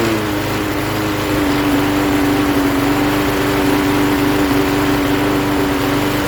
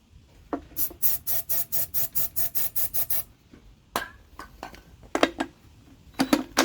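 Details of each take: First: 1988 Jacobsen lawn mower with Briggs & Stratton 3.5 hp single-cylinder engine, fresh gas, started via drill due to broken pull-start spring: steady even putter with no misses or surging; runs properly. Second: 1988 Jacobsen mower with a Briggs & Stratton 3.5 hp engine, turned over by drill on starting spray. A few rattles, then it catches, roars about five seconds and dies. Suspected fuel starvation from the carburetor, which needs cleaning.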